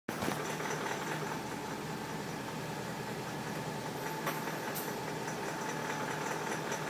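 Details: BMW X5 4.8is V8 idling steadily with a faint, light ticking running through the engine hum.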